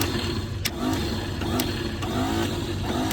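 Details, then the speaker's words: Old Clark forklift bought at auction, engine not locked up, key missing: starter whirs freely with rising pitch and clicks about every half second but engine never turns; Bendix drive not engaging, switch wiring possibly faulty. "The starter doesn't want to engage, the key's missing."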